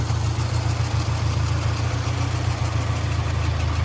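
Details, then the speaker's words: 1991 SAAB 900 T16 Carlsson turbo petrol, restored 2013 with replacement engine, 261,000 miles shown, warm, recorded under the bonnet: smooth even low rumble, steady beat, no ticks or knocks; normal idle. "Very, very nice clean engine bay. Nice engine as well. No funny noises, no funny smells."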